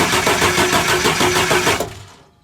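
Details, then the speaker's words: 2001 International Blue Bird school bus, T444E 7.3 diesel, after starter replacement: even starter churning at about four beats a second for nearly two seconds, never catching, then winding down; crank no start. "okay we're not getting a leak but we're also not getting a start"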